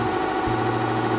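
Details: RICHPEACE double-head template sewing machine after fixing main shaft out of origin (stop position) by retiming: steady, even hum with light quick mechanical rhythm, no catches or knocks; both heads running normally.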